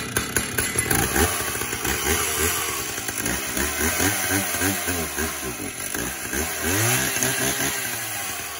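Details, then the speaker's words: 1970s Stihl 032 two-stroke chainsaw, sat unused a long time: sputters and surges with an uneven, hunting note, running rough; owner assumes long storage and that it needs a tune-up and probably a new plug. "it does not run well right now I assume where it's been sitting for probably a long time it probably needs a good tune-up"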